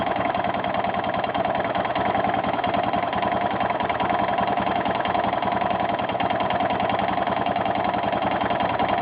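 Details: 1992 Yamaha XT600E (3TB) single-cylinder at idle: steady beat with a sharp, regular tapping or knocking on each firing; owner asks what the strange ticking noise is, cause unknown.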